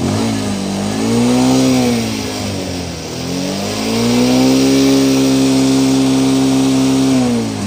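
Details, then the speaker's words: Bajaj BS6 Pulsar that had jerking and misfiring, after the fix and a restart: two clean rev blips rising and falling smoothly with no stumble or jerk; smooth revving, no misfire. "कि इन दोस्तों दोस्तों देखा आपने कि कोई भी झटके कोई मीटिंग की प्रॉब्लम इसमें नहीं आ रही है"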